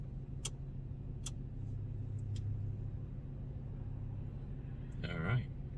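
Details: Dodge Magnum with a newly remanufactured 345ci Hemi V8 after its first cold start, heard from inside the cabin: a low, even rumble, a steady smooth idle with no knocks or misses. Running healthy.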